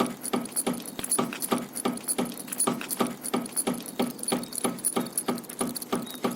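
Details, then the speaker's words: Audi A6 C5 exhaust knocking from the rear over bumps, first suspected as rear shocks (replaced a year earlier): sharp hollow clacks, about three a second, as the last exhaust hanger has torn off and the exhaust strikes the plastic bumper. "I started looking for the cause and found that one of the exhaust hangers had broken off and the exhaust was hitting the plastic part of the bumper whenever I hit a bump."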